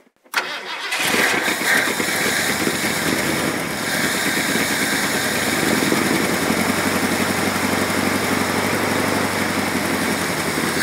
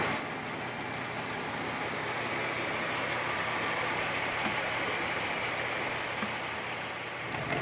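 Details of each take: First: Old Ford extended-cab truck of unknown year, with an oil pressure line leaking oil onto the ground. It cranks, catches and runs rough for about ten seconds, then fades and stops. Fuel starvation: it fires on primed fuel, then dies. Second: Old Ford extended-cab truck of unknown year with glass-pack exhaust, idling in the cold once the fuel pump started working. Soft, steady idle under hissy cab background with no misses or knocks; running smoothly.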